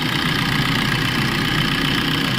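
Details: Maruti Suzuki Swift VDI diesel with AC on, after fitting the heat switch; the key previously would not shut the engine off: steady, even diesel clatter at idle, no misses or knocks; normal idle.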